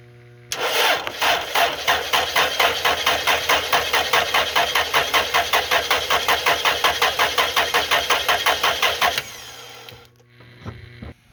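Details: 2000 Toyota Celica, 242,363 miles, no-start with a flat battery on the charger and a loose starter bolt found; the starter cranks steadily at about 160 strokes a minute for roughly nine seconds but the engine never catches, before starting fluid is tried.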